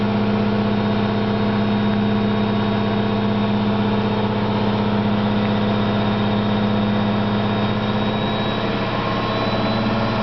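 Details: Candy GO4 127 DF washing machine on spin gives a loud, steady rumble from bad drum bearings; the owner says the bearings aren't that bad, just loud.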